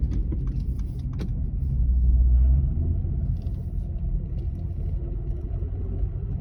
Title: Car clunky sound 1